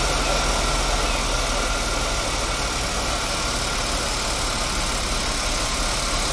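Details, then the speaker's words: Safari van during a fuel injection flush, with the fuel pump disconnected and injector cleaner fed at about 30 psi; idles steadily but with a ragged, uneven beat under a hissy top, running differently than on gas; rough running on injector cleaner. "runs completely different on that stuff than it does on gas"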